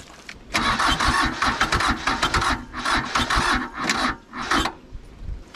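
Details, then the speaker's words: Nissan (Hanix) N300 mini excavator diesel, water found in sump oil and oil changed, suspected seized; starter churns in steady pulses about four seconds with a few half-hearted catches but never starts; cause unconfirmed. "darn i don't think it kind of sounded like it was trying to go didn't it but"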